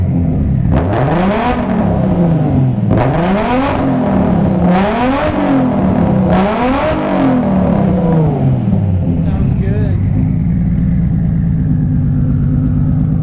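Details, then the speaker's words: Warmed-up Nissan Skyline R33 with big turbo and fresh build, not yet tuned. Four quick free revs climb and fall cleanly, bouncing off the rev limiter each time, then it settles to idle. Healthy revving. "dang sounds mean let me guys let me know what you guys think that was sick right but i'm just so happy that i have this thing running again"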